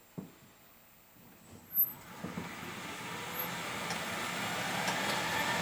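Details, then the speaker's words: 2010 Polaris Ranger EV converted to six-volt batteries: on takeoff with slight extra throttle or on a small hill, a few sharp knocks, then a rising whir with an uneven pulsing judder. Drivetrain shudder, cause unclear. "when you first take off even the least bit of too much throttle on it or really even just a small hill or something in it it'll do this"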